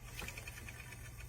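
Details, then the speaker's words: Bicycle disc brake after installing the front wheel: faint quick scraping ticks about ten per second as the rotor rubs the pads, caliper off-centre (gap on left, none on right). "you're going to have maybe rubbing not as bad as that, but that's pretty bad. That's completely stopping the wheel."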